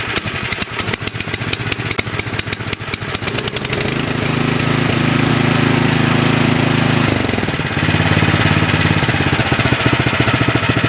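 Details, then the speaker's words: Nearly new 24-inch Troy-Bilt snowblower, which ran only on choke and surged after sitting 9 months with gas, after fix and idle-speed adjustment: electric-start cranking, then steady even idle without hunting or dying; idle set correctly. "The idle set good, so I'll put the cover back on."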